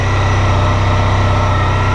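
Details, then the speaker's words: Honda ST1300 Pan European idling just after first start following 3.5 months winter storage: deep, even, steady hum with characteristic strange exhaust note, no knocks, misses or ticks; normal idle. "Heard a Pan before, they got a really strange exhaust note. Sound like the Jetson car."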